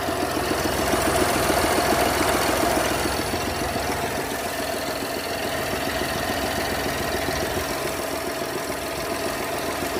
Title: Abnormal sound This is a 2021 BMW X1 HYBRID F48 B38 ENGINE 50Km. What's the problem??